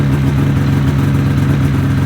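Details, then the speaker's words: 2005 Ski-Doo MX-Z Renegade 600 H.O. SDI warming up after a fuel pump, pressure regulator and strainer replacement for hard starting: steady, even low drone with no misses or hunting, waiting for the high idle to kick down. "I'm kind of curious how long before this would kick down here"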